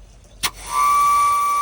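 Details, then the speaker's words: Natural gas Vermont Castings grill that was getting no gas, testing the old quick disconnect after a leak check; about a second of strong steady hiss with a thin whistle, cut off cleanly, gas flows freely so the disconnect is good. "That's gas coming out. So, this old quick disconnect is still good."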